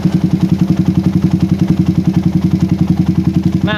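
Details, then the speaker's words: PE24 carburetor after moving the needle clip from the middle to the top, with the air screw now about 1 to 2 turns out. The single idles with an even, regular thumping pulse and no surging; the idle is steady and usable. "saya pindahkan ke klip paling atas settingan anginnya dapat guys ya ini di sekitar e 1,eng sampai du putteran angin dan ini cukup normal untuk digunakan sehari-hari idlenya pun berbeda sekali dengan Sebelumnya"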